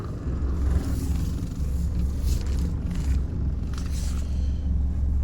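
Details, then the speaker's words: Mitsubishi Triton MN after fitting a new pair of front CV shafts, driving in low range while turning: only steady low road rumble, none of the clicking heard since purchase; normal CV joints when turning. "I'm going to drive it again. No more noise. Not a single clicking noise. I cannot believe it."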